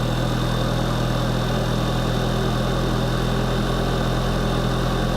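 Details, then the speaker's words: Tuned VW GTI, intake blocked off because a part likely failed: uneven lumpy idle with irregular low pulse about three per second; suspected vacuum leak, long-term fuel trim being checked; rough idle. "all right we might have a bit of a vacuum leak we blocked off the intake because this has probably failed go ahead and fire it off and maybe this is a problem too"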